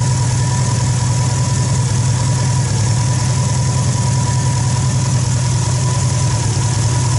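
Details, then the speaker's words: Peugeot 206 (2005) rally prototype with 2003 Subaru Impreza WRX AWD turbo engine, first start after nearly three years and intake manifold rework, oil pressure light went off: steady, even low idle with faint constant high whine, no knocks or stumbles; normal idle. "it runs and the oil pressure light went off [Music] starts [Music] bloody starts so after almost three years we finally have this engine running"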